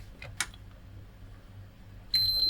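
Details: Sony PS5 on the bench, first time the repairer has seen one: a sharp, high, steady beep three times at switch-on, no fan, lights or picture. One chip appears to have only 5 V and no other power. Console fails to boot, cause not confirmed.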